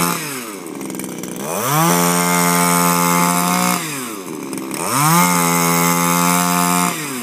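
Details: Refurbished Shindaiwa power broom with new carburetor, gaskets and recoil, running without air filter: small two-stroke revs up cleanly, holds a crisp note, drops back and repeats, with no stumble or misfire. Healthy running.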